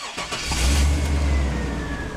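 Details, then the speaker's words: Chevy truck with P1515 reduced power throttle fault, after replacing the bad part; catches on first crank, revs smoothly and settles to even steady idle with no misses; no codes, running normally. "Looks good. So now we're going to take it for a spin, and I think it should be in good shape."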